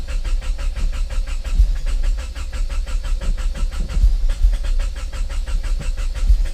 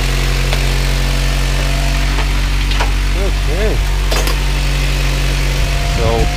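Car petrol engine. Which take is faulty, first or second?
first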